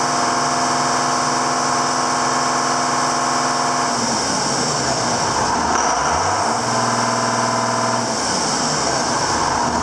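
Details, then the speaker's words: 7410 diesel tractor just started after an in-frame engine rebuild, with the injector pump bled to the tips: steady, even running through a couple of smooth speed changes, with no knocking or blow-by puffing, and it sounds good. "So she's running. Get that far. We'll just go like so. She sounds good. She sounds good."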